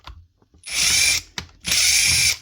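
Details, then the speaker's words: Makita DGA452 brushed cordless grinder running very slow: overheated brushes melted the plastic brush holder, jamming a brush, so the motor whirs in short bursts that cut out and splutter until it stops; melted brush holder jamming brush. "the plastic itself starts to melt and that jams up the brush causing to run very slow and splutter like this till it eventually stops working."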